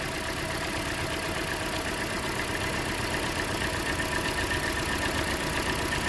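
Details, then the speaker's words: Idle with a lopsided lope and a regular stumble about four times a second; pulling the number two coil plug brings no change. Dead-cylinder misfire from a failed ignition coil, which needs replacing. "so it's been misfires after misfires here lately foreign yep bag coal now when I pull the number of two coil plug-in it changes not"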